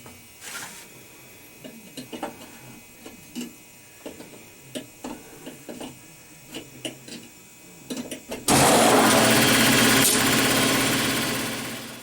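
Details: Air compressor after a leaking check valve was replaced (it had been misdiagnosed as a leaking pressure switch). Quiet clicks, then the compressor starts with a loud, steady, even clatter and rush and no knocks; normal pump-up.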